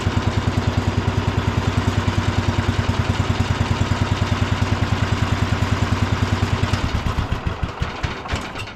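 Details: Cub Cadet International Harvester 1250 tractor after re-bolting the shroud and muffler to cure vibration noise: steady single-cylinder thump at idle, some vibration remains; engine runs well and doesn't burn oil.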